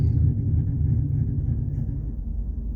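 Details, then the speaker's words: 2011 Cadillac CTS-V Coupe, about 34,300 miles, with headers and straight pipes back to the stock exhaust and no catalytic converters; with the exhaust cutouts closed, a low, soft V8 rumble at an even idle, muted and running smoothly. "and it stays pretty quiet in the car without it does not have Cali converters it has headers and straight pipes back to the stock exhaust"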